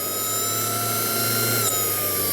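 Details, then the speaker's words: Kingtech 100 G2 model jet turbine after test run: steady high whine easing slightly as the starter motor spins the turbine, blowing hot air out the back in cycles until temperature drops; normal cooling cycle. "what you're hearing right now is the cooling cycle the starter motor you can hear it"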